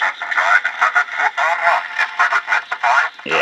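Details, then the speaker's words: Realistic DX-398 shortwave radio on AM, station 1090 Baltimore, original speaker not yet replaced: voice harsh and buzzy, every syllable rattling, worse with stronger signal and higher volume; blown loudspeaker cone, radio itself likely fine. "and the stronger the signal gets and the higher the volume gets, the worse it sounds."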